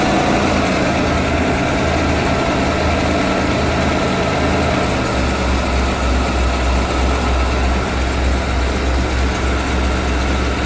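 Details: 1991 Ford E350 cutaway van, 5.8L V8 with in-tank and inline high-pressure fuel pumps, very cold start at about minus 20, first start of the day: deep, steady, even idle rumble with no misses or knocks, a normal cold idle.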